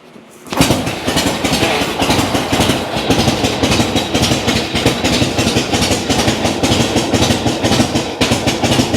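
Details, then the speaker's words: Old kick-start V-twin cold start, easy to flood, idle knob not turned up so it took several kicks: quiet, then a kick catches and it settles into a steady, loose, even idle; healthy cold start. "Very good. I didn't have my idle up, so I had to kick it several times."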